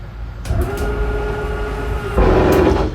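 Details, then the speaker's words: 2022 Jayco Jay Flight 284BHS travel trailer slide-out extending: electric motor hum during travel, then short gear grinding noise at full extension; normal end-of-travel behaviour. "you hear that little gear grinding noise you know you're good to go"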